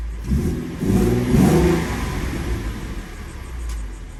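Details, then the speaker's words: 2015 Mustang V6 with newly installed BBK stainless shorty headers, aftermarket intake, stock cats, X-pipe and mufflers, first start after install: quick blip climbing cleanly and dropping to smooth idle, no popping or ticking exhaust leak; normal revving. "all right so it doesn't sound too bad especially with that intake on it this v6 comes sounds very very good no exhaust leaks i don't hear any exhaust leaks which is perfect"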